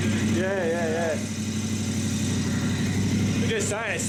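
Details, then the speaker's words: Brand new KTM 1090 Adventure R twin, cold start, warming up: steady, even idle, throaty exhaust, no knocks or rattles. Normal idle. "yeah that sounds real good we didn't get to hear it before we had it on but T better get wa I'll let it warm up a little bit"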